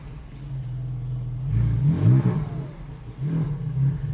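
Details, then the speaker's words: GT4 exhaust in stock operation with the valves closed, after the exhaust work and with a check-engine light to clear: a deep steady rumble rising smoothly on revs, the earlier vibration gone, and the owner thinks it might be fixed. "think i think it's sounding a little bit different it's not as like there's no we don't have the vibration i don't think i'm gonna fit yeah i think it might be fixed"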